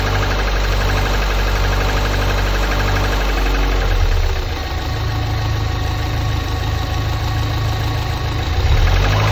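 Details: Lotus Elise S2 111S engine at idle: an uneven knock around three a second under a wavering howl; something inside the engine is knocking, source unclear.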